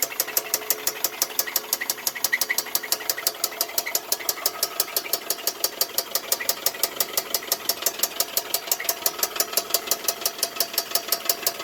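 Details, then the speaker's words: 2000 Toyota Camry: a sharp, light metallic knock repeats about three times a second, quiet at rest and worse on acceleration. The car won't pass 20 mph and smells of burning, possibly oil or the belt. Cause unknown. "now it's not making noise but when I accelerate it starts making the noise"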